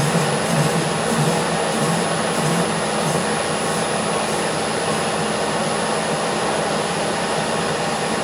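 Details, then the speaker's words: Colchester Master lathe turning a steel tyre on a 5-inch gauge LNER A3 locomotive wheel with a radiused tool. A steady cutting hiss carries a thin high ring: chatter, so the spindle speed will be lowered. "I think I'm going to go down a speed. That's giving me quite a lot of chatter on there."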